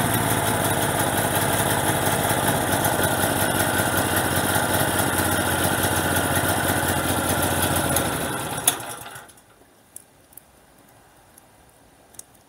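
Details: Generator on gas via regulator to carburetor, small bottle very cold with too little pressure: steady beat for about eight seconds, then sags and dies; fuel starvation from low gas pressure, bigger bottle needed.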